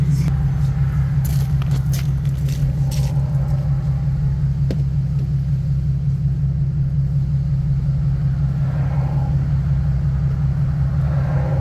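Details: 2015 Nissan 370Z after front-end collision and frame repair, running after its cold start: steady, even low hum with no knocks, ticks or misses; running good, smooth and healthy.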